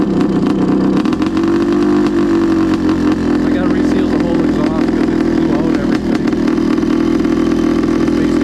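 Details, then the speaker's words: Honda CR500 two-stroke in a Schwinn frame project, first ride, idling: loud steady drone that sounds a bit thin and sharp, probably running slightly lean; owner plans to adjust the air screw. "So, now that sounded a little lean. And I'm going to mess with the air screw, but I try to keep running this thing to a minimum in the neighborhood because it is a little rowdy."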